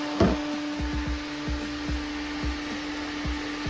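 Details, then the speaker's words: Electric radiator fan on a 1974 VW bus with Subaru engine and belly radiator, smoke flow test after engine-bay radiator overheating; steady even hum at one pitch with soft handling knocks, strongly drawing air in, normal operation. "I can't see anything coming out the back but it's drawing it in I mean it's it's really pulling that"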